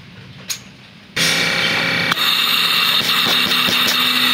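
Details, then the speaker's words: Inverter aircon compressor after universal board conversion, outdoor unit powered directly with 220 V line and neutral for testing: after a short silence it starts with a steady hum and high whir holding even; compressor runs normally. "Kung antay natin amandar yung compressor. Ayan. Umandar na ang compressor natin."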